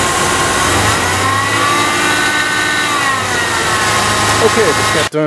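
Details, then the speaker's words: Second Cardone remanufactured power steering pump, noisy straight out of the box (the first began whining after a month): idling engine with a steady high whine over it; owner suspects bad bearings. "this is the second one in too much noise here right right out of the box sounds like it has bad bearings and rigid whatever"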